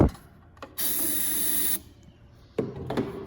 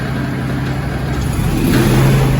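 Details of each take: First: Zero-turn mower, Grasshopper or Toro, probably sitting about four months: starter cranks in short bursts without catching, then fires and runs roughly on external fuel sprayed into the intake; fuel starvation from stale carburetor fuel. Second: Zero-turn mower (Grasshopper or Toro) that sat about 4 months, no start likely from stale fuel in the carburetor; after carb/brake cleaner sprayed into the intake as external fuel, the small engine catches into a steady low drone, smoothly idling: normal idle.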